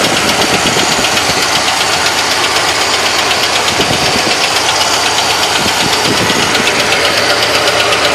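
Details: 1970 Chevrolet Malibu small-block 350 idling with a hard, sharp knock about four times a second, like a screwdriver handle hammered on the engine; loud engine knock being located.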